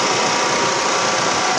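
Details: 2017 Nissan Almera idling with AC on after replacing the seized compressor, which had left only the belt spinning noisily, plus a new filter/drier; smooth steady hiss, no clatter or grinding. AC now very cold.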